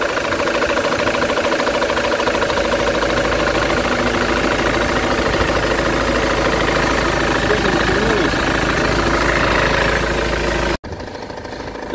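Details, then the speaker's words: Ford Transit engine at idle after replacing tensioner and idler pulleys: regular light knock about three times a second keeping time with the engine, unchanged; injectors and coil ruled out, diagnosed as a noisy crankshaft pulley. "Как стучал, так и стучит. Мне кажется, ничего не изменилось. Значит, дело было не в бобине. Съездил я еще в одну местную диагностику. Сказали, что шумит шкив коленвала."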